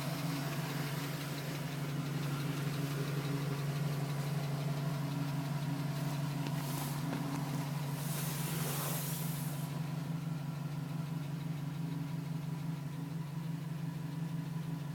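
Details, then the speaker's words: 2010 GMC Sierra with 2000 miles, cold start idle: light, quick tapping about three a second, still there at 4 minutes, stopping at 5 minutes 42 seconds once at temperature; owner suspects piston slap, unconfirmed. "Still tapping at 4 minutes. Tapping finally stopped at 5 minutes and 42 seconds."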